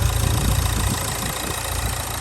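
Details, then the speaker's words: Low-mileage diesel Nissan Juke, 6-speed gearbox, just jump-started: loud, fast, steady drone well above normal idle; it over-revs with the engine light on, and the cause is unknown pending diagnostics. "it starts up first time it's just over revving the engine light is on"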